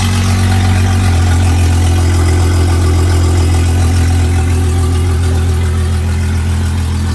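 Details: Honda 250HP outboard on a 21ft boat, battery fully charged, running after a long idle period once a missing engine ground was fixed with a jumper cable. Steady, even low drone with no misses or knocks: normal running.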